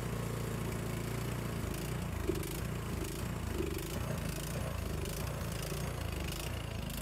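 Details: Craftsman snowblower, previously a no-start, started on choke after 3–5 primes: small single-cylinder engine chugs unevenly, speed hunting and stumbling; runs poorly, carburetor cleaning suspected needed.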